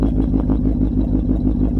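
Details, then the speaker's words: BMW 740iL V8 with muffler cut off, just restarted after stalling for unknown reason: uneven lumpy beat around five pulses a second, low and throbbing, owner fears it will stall again; rough running. Cause suspected, not confirmed. "no idea it sounds like it's gonna try and do it again i don't like that"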